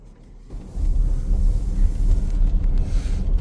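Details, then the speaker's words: VW Atlas bought back as a lemon over a claimed squeak when turning the steering wheel. Turning the wheel gives only a low, even rumble with no squeak, squeal or groan, and no abnormal noise in over a year of ownership. "We've had this car well over a year. It's never had any sort of noise come out of the steering wheel that was abnormal."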